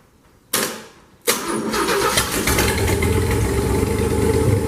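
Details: Newly hand-built engine for a 1976 Chevy, bored .040 over with full roller cam, roller rockers and hydraulic roller lifters, test-fired before install: cranks briefly, catches on second try, settles into steady even idle, no knocks; healthy.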